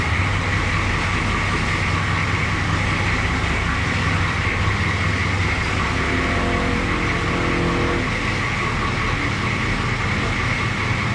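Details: International S1654 truck after an oil cooler rebuild, new starter and new radiator, idling while the thermostat opens to purge air: steady, even low rumble with no knocks, misses or hunting; healthy idle.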